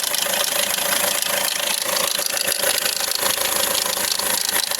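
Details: Hyundai Accent CRDi (RB) diesel idling with fast fairly regular metallic rattle-knock about four per second above diesel clatter; suspected loose timing chain, a common problem, unconfirmed.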